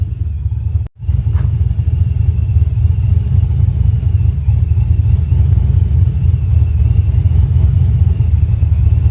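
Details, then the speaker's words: Truck with Brian Tooley Truck Norris cam tuned in HP Tuners, idle 800 rpm, timing lowered to about 26 degrees, no over/under idle spark control yet: deep lumpy uneven choppy idle, steady otherwise; the cam's natural lope, normal. "this is basically your natural sounding lope with a cam this is how the cam wants to sound in its natural state"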